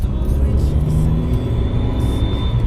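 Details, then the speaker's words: Mercedes C250 W204 turbo after installing a Turbosmart Kompact blow-off valve and boost tap, with the charge pipe accidentally left off. It runs with a hiss and a thin rising whistle from the open pipe, and a fault code was thrown. "Okay, that was super dumb. I had the charge pipe still off and it threw a code."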